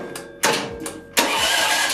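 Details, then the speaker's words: Half-scale NASCAR mini cup car with new gearing, electric start after fitting a new battery: two short starter cranks, second catches into a ragged running note; starter possibly a little stuck from long disuse, now working normally. "perfect took a couple tries the the starter might have just been a little bit stuck or something because it's been a while since I've used it"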